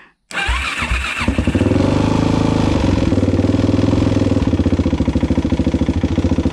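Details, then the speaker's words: Suzuki LTZ400 after valve clearance adjustment, cold start on choke: a fast, uneven clatter rides over the lumpy idle thump; the top end is still noisy and the cause is unresolved, possibly it just needs to warm up. "go so it's still sort of noisy that's still rather noisy ain't it i think that's still sort of noisy you guys"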